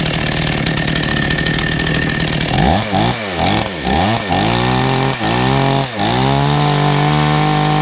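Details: Chainsaw that had sat unused, refuelled, chain brake not working: two-stroke buzz catches, rises and falls cleanly through several blips, settles to steady high idle; runs fine, choke button needs repair.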